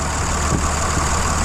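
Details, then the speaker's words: Dodge 2500 5.9 Cummins, almost 350,000 miles, suspected weak original CP3, just started after cycling the key to prime fuel following an overnight hard start: even, steady diesel rumble, no knocks or misses; normal idle. "There we go. There we go. Runs just like a Dodge, man. Great truck."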